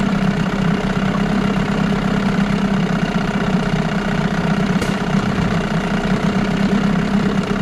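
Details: 1989 Evinrude Yachtwin 6 hp two-stroke outboard run in test barrel, sold as smoking under throttle with bad crank: steady, lumpy idle with faint dull knock; worn crank possible but unconfirmed, smokes, weak compression.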